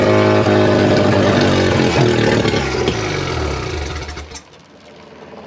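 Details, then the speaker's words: Mazda 12A rotary on engine stand, first fire: revs strongly about four seconds under throttle then winds down and dies; owner suspects flooding, but it doesn't look very wet, thinks it wants more fuel. "Well, she ran. I wonder why she stopped. Let's try deflooding it. Maybe it's just dumping fuel."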